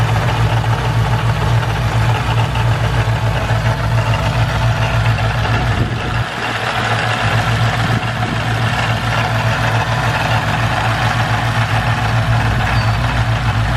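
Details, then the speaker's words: Stock supercharger (blower) on a modified car: engine running with a new constant rough drone and no clean knock. The blower sounds unhappy, likely its bearings wearing out. Supercharger noise, cause not yet confirmed. "this is the superchargers lovely new noise I'm gonna try to capture it the best I can"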